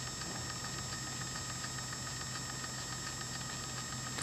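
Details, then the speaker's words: Small 3D-printed gear motor on a winch gearbox running at 24 volts after gear reprint: faint steady whine with soft regular gear tick, no grinding or catching; repair judged a success. "it sounds good yeah it seems like a success to me this seems like a good repair"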